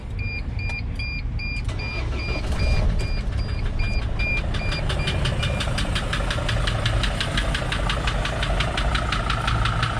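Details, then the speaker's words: 2005 Mercedes Sprinter diesel after many miles driven: warning chimes, then starts and settles into a sharp, even knock several per second at idle; owner says it is in the engine, not a belt, and it rises with speed; source unknown. "you could see the noise is pretty apparent and I know what you might say it sounds like a belt hitting something it's not I've listened and it's in the engine"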